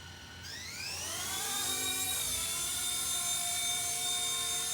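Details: RC Era C-189 MD500 RC helicopter after superglue repair of the tail rotor/motor mount, test flight spin-up: high whine climbs smoothly as rotors spool, then steady pitch, no chatter or buzz; flying fine after repair.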